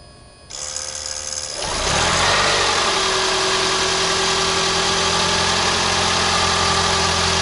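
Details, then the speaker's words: 2011 Toyota Camry Hybrid 2.4L 4-cylinder after spark plug change, part of white-smoke-on-startup diagnosis: catches after a second of cranking, settles to even idle, no rattles or misses, no check engine light; sounds healthy. "what do you think guys sounds pretty smooth foreign works fine no rattling no extra noises sounds good no check engine light or anything like that"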